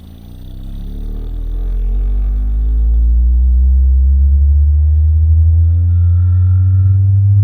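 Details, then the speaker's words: Cerwin Vega AT12 speaker driven by a sweep tone starting near 8 Hz: the deep tone rises in pitch and grows loud and buzzy where a separated cabinet panel rattles at resonance. "so that was pretty easy to figure out it was pretty loud that's what i heard when i had music going on them"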